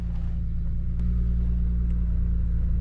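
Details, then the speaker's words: BMW 335i twin turbo with 143,000 miles, after fixing boost and vacuum leaks, radiator mounts and the fan: a steady, smooth idle with no misses. The check engine light is still on and the starting issue persists. "Still got to check engine light, but it's running a lot better."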